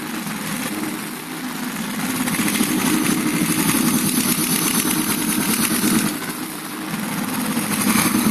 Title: Стук клапанов